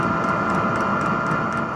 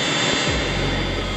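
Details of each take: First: Cheap diesel air heater in a VW T4 Syncro van, refitted with a smaller 22 microliter fuel pump in place of the 65. Steady combustion roar, high fan hum and regular pump ticking. Smoke is much reduced and the heater runs normally. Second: Cheap diesel heater installed in a VW T4 Syncro van. Uneven start-up noise settles into a steady roar with a hiss once it catches fire. The exhaust pipe heats up, so the heater is igniting.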